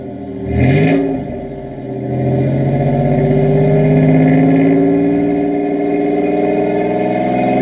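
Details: 1987 Chevrolet Celebrity Eurosport 2.8 V6 (owner believes HO), 4-speed automatic: engine fires, revs rise smoothly with a deep throaty drone, no knocks or rattles; loud but sound exhaust.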